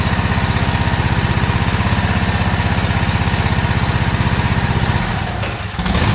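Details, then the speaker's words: About a year old commercial Toro zero-turn mower, twin engine, run after a no-start repair with the old spark plugs and the air filter refitted: fast chugging with slight unevenness that sags and stumbles near the end, and it may still be skipping. "so still doesn't sound right to me I think it may be still skipping or something's going on"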